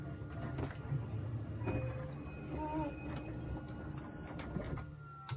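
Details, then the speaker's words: 2007 Itasca Suncruiser 35L motorhome slide-out extending with the button held until it stops: low, quiet, even motor drone with a few light rattles, no straining or grinding; normal slide-out operation. "Next, I'm gonna extend it. So just like in the back, I'm just gonna hit out and I'm gonna hold it until it stops."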